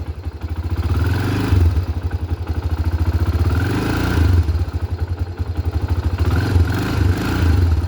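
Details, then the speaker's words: Honda 300EX ATV, cold engine just started: uneven single-cylinder thump at low cold idle rising briefly three times on light throttle blips then settling; normal warm-up, too much throttle would stall it. "So, just to warm it up, you can give it a little throttle here and there just to help it kind of warm up."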